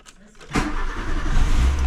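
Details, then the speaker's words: VW Golf II after full carburettor restoration, problem believed to be fuel, manifold leaking: starter catches and engine fires at once, settling into a steady, even low run; normal quick start. "je pense le le problème venait vraiment du carburant et vous me l'aviez dit en plus cool merci franchement c'est cool d'avoir quelques abonnés qui se connaissent bien vous m'avez beaucoup aidé et regardez c'est au quart de tour"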